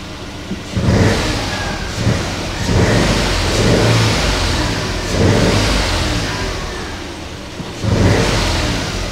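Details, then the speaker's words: Citroen Aircross 1.2 82 PS three-cylinder, fired straight up after an earlier failed start. Smooth three-cylinder idle with several clean throttle blips that rise and settle evenly, no knocks or rattles; normal idle and revving. "I mean it sounds okay it sounds like a three cylinder to sell with one of these engines"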